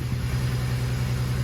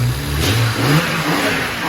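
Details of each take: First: 335 engine with misfire and coolant leak after Mondello: low idle with uneven stumbling beat as cylinder 4 keeps dropping out; misfire traced to a failed coil pack. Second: BMW 335 engine revved after a fresh coil pack was fitted to cure a misfire: blips up and settles back cleanly, pulling smoothly without stumbles or popping, firing evenly on all cylinders.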